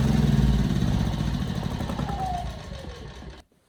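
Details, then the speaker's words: Ryobi RYI2300 inverter generator, 15 months old, with a clean carburetor: under a light 400 W load the engine note sags and wavers, surging with auto idle on or off; a carburetor fault or design issue is suspected but unconfirmed. "that was it the 400 watt load was causing it to surge with the auto Idol on and off"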